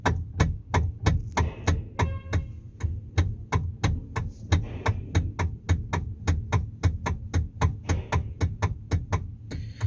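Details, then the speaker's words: Sharp knocks about three a second as the steering wheel of a 2013 Kia Sorento is turned back and forth. The knock comes from a worn steering column coupler rubber damper, fixed by replacing the damper. "so this one had problem is the steering wheel is a bad rattle the bad knocking can hear the noise"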